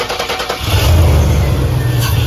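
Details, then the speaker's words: Chevrolet with a crank-no-start fault and no fuel pressure at the fuel rail valve. Fuel was sprayed into the throttle body: the starter churns, the engine catches with a low rumble for under two seconds, then dies. This points to a suspected bad fuel pump or clogged filter. "fired right up, and then it died. So yeah, you can spray fuel in your throttle body."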